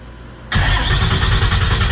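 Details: Welding rig diesel engine after injector replacement and head work, oil change due, cranked and catches instantly, settling into a steady even clatter with no stumble or miss; normal start and idle, running smooth.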